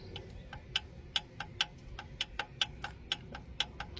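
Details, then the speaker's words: 2014 Mazda CX-5 2.0 diesel idling with sharp metallic ticks, about four or five a second; metal filings in the drained oil, the knock traced to the big end on cylinder 3. "So, our noise was coming from the big end that is on cylinder number three. This is where ticking sound was coming from."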